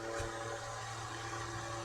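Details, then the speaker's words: 1962 GEC Sprite desk fan, restored with repaired wiring and cracked plastic, blade friction-fit, running after reassembly. Steady low motor hum with a soft, even whoosh of air and no rattle or scrape; not silent. Normal running. "You can probably hear the, you know, it it's not silent."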